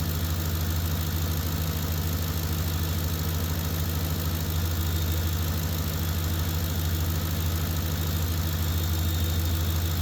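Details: Ford F-150 at steady idle with heated seats, blower and headlights switched on after field and communication wires were replaced: faint high whistle from the alternator, which is working and holding under load; normal whine.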